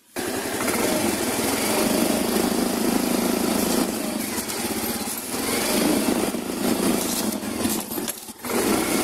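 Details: Yamaha Mio i125 scooter engine revving: intermittent loose, buzzy rattle and vibration from the leg shield's side mounting, with worn mounting cushions.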